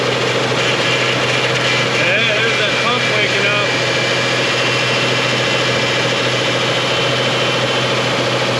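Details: 2000 Nissan Frontier 3.3 4x4 after rear crankshaft seal repair and transmission reinstall, running 30–40 minutes with fluids topped off and power steering bled; even, steady idle hum, power steering pump noise gone, engine running smoothly.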